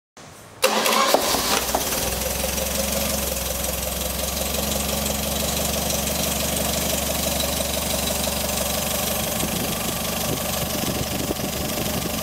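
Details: Colorale/Frégate type 668 engine, fully rebuilt and prepared (80 hp DIN, 19 mkg) for a Paris–Peking rally car, first start: short crank, fires at once and holds a smooth, steady idle with no knocking.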